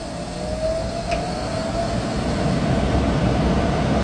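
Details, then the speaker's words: Unit after compressor change, fan motor rewired after running backwards: whoosh and hum build slowly over the first couple of seconds before settling; fan sluggish to spin up, capacitor suspected, unconfirmed. "That fan seems to start up a little slow, though. We might need to check that capacitor. That might be why she started up a little slow."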